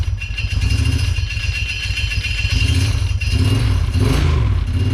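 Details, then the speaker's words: 2008 Kawasaki Brute Force 750 fuel-injected V-twin on first start after engine rebuild, slightly warm: lumpy idle with light irregular metallic rattle from a loose plate, to be fixed. "that plate is gonna drive me crazy sorry guys but it runs"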